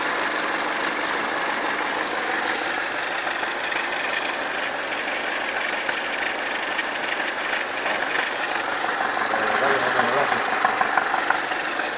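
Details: 2004 Pontiac Sunfire, Ecotec 2.2L, idling a little hot: light, fairly regular ticking knock about three times a second; engine knocking noise when warm, cause unclear.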